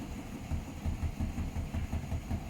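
Deep, regular thumping about four or five times a second during the spin; the drum is badly out of balance.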